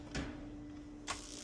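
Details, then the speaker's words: DIY fire pit built from old gas furnace parts, tested powered up: two sharp igniter snaps about a second apart over a faint hum. The spark igniter ticks normally before heat reaches the flame sensor. "All right, so that's sparking. See the spark? Probably can't, but I'm going to heat this up, and this valve should open."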